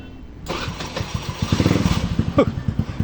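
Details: Honda SIP 125 scooter that previously would not start (battery and bendix suspected) cranks quickly, catches and settles into a firm, regular putter with a throttle blip; normal strong start.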